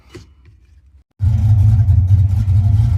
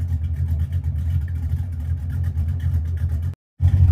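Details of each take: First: 1982 Ford Mustang GT, rebuilt 310 cubic inch (302 bored .060 over) V8, generic chambered mufflers before replacement: a deep booming rumble rises on the revs, almost all low bass, an exhaust drone that the camera washes out. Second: 1982 Ford Mustang GT V8 after fitting straight-through mufflers, no tailpipes yet: deep steady burble climbs cleanly on revs and settles back, no ticking or puffing; sounds little different, possible unsealed joint suspected.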